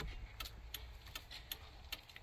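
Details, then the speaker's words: 2002 GMC Yukon, whose blinker module had clicked continuously, after replacing the multi-function switch: crisp, even flasher clicks about two and a half per second, steady on and off; normal turn signal flasher ticking. "Okay, that's good. That's good. And flashers work. Sweet. I think we're good to go."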